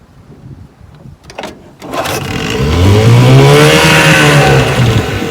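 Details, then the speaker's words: 1970 Johnson 6 HP outboard after magneto, coils, points and condensers rebuilt, plug wires replaced, carburetor cleaned and hub replaced, warm start on the water: a couple of pulls, catches at once and revs cleanly to a steady run; normal start, reverse works. "Starts right up. Reverse works."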